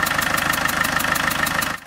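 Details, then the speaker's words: Land Rover Defender 110 with 300Tdi diesel conversion, after standing a long time, at idle: sharp even ticking about six per second over the diesel idle; exhaust blow at the manifold, possibly a cracked manifold, unconfirmed. "and it's tick tick tick tick tick ticking away this is uh possibly crack manifold we don't know"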